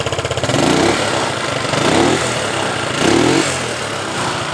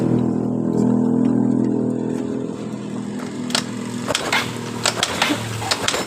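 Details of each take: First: Yamaha Mio Sporty scooter that died completely, after cleaning clogged carburetor pilot and main jets (air filter still needs replacing): small single revs cleanly three times and settles to steady idle; healthy throttle response. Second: Yamaha Mio Sporty scooter that sputtered then died completely, vacuum system checked: engine hums briefly then fades and dies after about three seconds when throttle opened.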